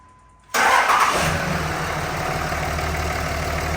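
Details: 2003 Ram 5.9 Cummins, first start after a four-hour injector swap with three injector line nuts cracked to bleed fuel: quick crank, catches almost instantly with a little puff of smoke, then a steady, even diesel idle with no misfire; healthy start.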